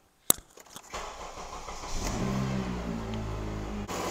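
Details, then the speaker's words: 2008 Honda CR-V after cooling fan replacement, started with the AC on: the engine catches after a short crank and idles evenly under a steady rushing fan noise; fans working normally. "fans are moving good all right so I don't even need to buy directionally control them long really with a scan tool"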